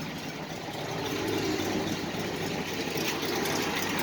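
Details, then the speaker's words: 1968 International, original never-rebuilt engine, 129,971 original miles, about 20–25°F outside: steady even low idle rumble, no misses or knocks; normal idle. "what a loyal car though just sitting there idling like no one's business"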